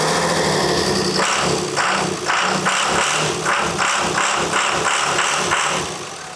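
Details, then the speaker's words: Built 1300+ HP truck after a head replacement, cranked on first start attempt: starter cranks in even pulses about three per second and the engine never catches; fuel leaking everywhere. "We gotta have something wrong if it hasn't caught yet. What, oh my God, why is it it's just fuel everywhere over here?"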